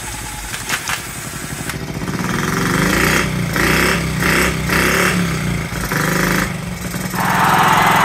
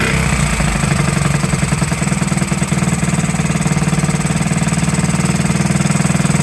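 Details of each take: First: 1969–70 Honda Z50, first start after about 35 years: small single idles unevenly, popping and hunting in bursts; running rich, owner guesses slide needle set too high and air needs adjusting. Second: 1969–70 Honda Z50 after 35 years, picks up then holds a quick even putter without hunting or missing; smooth idle, points and carburetor never cleaned.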